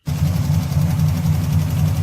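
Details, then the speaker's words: 1987 Chevy S10 with stock 305 small-block V8 and thumper cam, ticking began after a hard top-speed run; deep lumpy idle with faint quick ticking, likely a collapsed lifter found with valve covers off. "I think maybe lifter may have collapsed"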